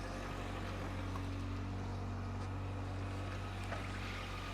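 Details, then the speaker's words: Crash-damaged 2024 Renault Clio hybrid from a salvage auction, first drive after repair: quiet, steady low hum on the move with no knocking, rattles or whine; sounds like low mileage, engine healthy. "sounds like it ain't done many miles"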